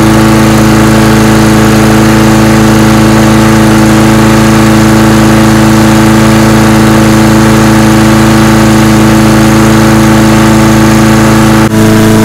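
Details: Husqvarna lawnmower after blade replacement and tune-up (recent spark plug kept): steady, even mid-pitched engine hum at constant speed with no stumbles or knocks; runs much better than before, normal running.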